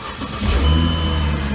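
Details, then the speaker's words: 2008 Mercedes CLK350 M272 with long-crank complaint from fuel rail pressure bleed-down, now holding about 55 on rail gauge after waiting minutes: short crank, fires almost immediately and runs smooth and even; normal quick start. "I decided to do even better visual test, and I connected the gauge again to the rail, and here it just sits. I bet it's gonna start right away,"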